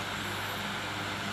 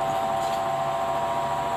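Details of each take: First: Electric fan after repair for howling and stopping by itself, tested on speeds 1 to 3: a smooth, steady motor hum with an even low drone and airy rush, no howl or squeal; the howl is gone and it runs normally. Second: Electric fan stops spinning and loses power after running a while: steady loud mid-pitched howl with no rhythm over the motor hum, from a dry, sticky motor shaft bushing that needs cleaning and oiling.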